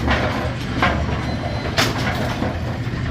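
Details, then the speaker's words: Brunswick A2 bowling pinsetter after cycle solenoid replacement (complaint: not cycling on first ball); ball detect beam tripped by hand, heavy rumbling with sharp clanks about a second apart, machine cycles normally without stalling. "we're gonna break the ball detect beam just like a bowling ball would. Trip the ball detect beam. It cycled."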